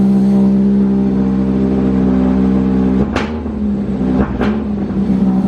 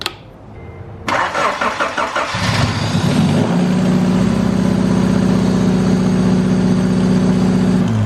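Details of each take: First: Honda Civic Wagovan, D16Z6, after fixing a dead cylinder: steady, even idle, then two quick throttle blips that rise and settle cleanly. Still a slight odd sound but much less wild; normal idle and rev. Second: Honda Civic Wagovan D16Z6 engine: cranks, catches, then settles into a lumpy idle with uneven beat; one cylinder dead because its injector is getting no power.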